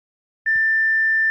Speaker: Continuous beep generate होती है आपके पावर सप्लाई के फॉल्ट की वजह से, और आप अपना कीबोर्ड का भी कनेक्शन चेक करके देख सकते हैं।